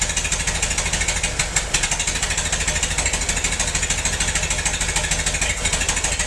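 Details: Massey-Harris 44 tractor stored about 10 years, new points: lumpy, uneven chuffing idle with loping beat and missing pulses; cylinders 2 and 3 not firing, owner suspected stuck valves, plugs or wires; a stuck intake valve was found.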